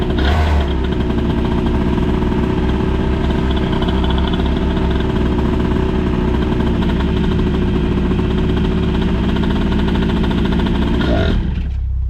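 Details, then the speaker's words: CPI 70cc two-stroke on the stand, newly fitted used 21 mm carburettor missing its needle clip, with latex intake sleeve and go-kart airbox; buzzy running, pitch wandering without settling. Carburettor behaves very strangely; owner suspects a bad carb, setup unresolved. "Et en silence s'il vous plaît. Un fonctionnement très bizarre du carburateur, je confirme."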